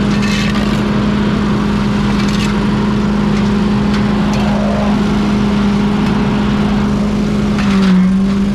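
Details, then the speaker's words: Pink Walker mower leaf loader restarted after being unclogged and reassembled on a cold (~34°F) day: constant low hum over the engine, no knocks, rattles or scraping. The blower is running normally. "let's fire it up and see if it works I can hear it already that it's working you can hear the humming noise"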